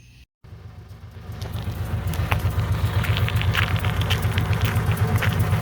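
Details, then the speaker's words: 2003 Honda Civic EM2, donor manual gearbox at about 220k miles that later lost 3rd, 5th and reverse and leaked fluid: intermittent low drone with fast pulsing, about four per second, while driving. Owner first suspected motor mounts; transmission noise. "That noise just comes and goes."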